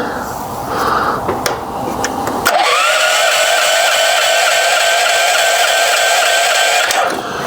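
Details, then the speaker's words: Portable generator used with a home manual transfer switch, choke on: the starter whines and cranks for about four seconds with no firing, because the fuel valve was shut. "it helps if you turn the fuel on now let's give it a go"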